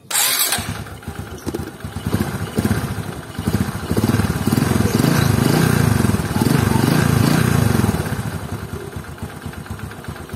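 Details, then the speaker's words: Scooter starting and idling with an uneven light ticking that goes away when revved, from the clutch shoes shifting side to side on their seat, with the tensioner already cleaned and tightened; clutch shoe rattle at idle. "akan tetapi masih ada suara tek tek tek ada suara tok tok dari bagian sini ya hal itu dikarenakan adalah cara gojeknya kampas ganda pada dudukannya"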